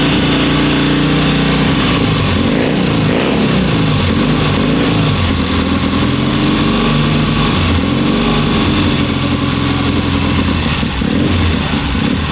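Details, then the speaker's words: 1972 Bonneville twin, about 50 years old, running after sitting about three weeks with power across the rev range: a loud, steady beat that picks up cleanly and settles without stumbling; normal running. "honestly that that's so smooth that's well I say smooth it's 50 years old but it's got power in all of its rev range"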